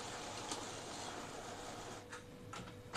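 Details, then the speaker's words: Epson L15160 inkjet printer printing with quiet mode on after timing belt replacement: a quiet, steady whir with soft ticks and brief carriage swishes; not noisy because of quiet mode, otherwise it would be much louder; sounding normal. "Nah ini printernya gak berisik kenapa karena saya pakai mode qunya di onkan kalau enggak dia pasti berisik banget"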